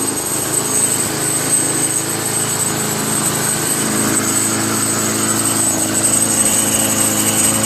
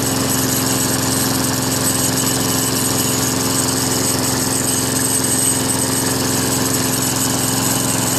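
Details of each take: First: Craftsman Eager One 20-inch push mower, 4 HP Tecumseh, after carburetor replacement: single-cylinder runs steadily with a light tinny buzz on top; metallic rattle, owner suspects a thin inner sheet-metal bracket vibrating. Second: Craftsman Eager One 4HP Tecumseh 20-inch push mower after carburetor replacement: steady, even single-cylinder drone with no stumbles or surging; runs smoothly and healthy.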